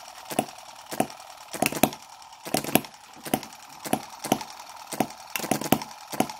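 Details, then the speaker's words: Microcosm M17 1.6cc hit-and-miss model engine, mixture richened quite a bit while being dialled in: sharp firing pops in uneven clusters about every second, some doubled, over quiet gaps; running rich, and the owner wonders whether it will die from over-richness again. "just riched it up quite a bit you can hear quite a difference but I'm wondering if it will go um you know die from over richness like it was before..."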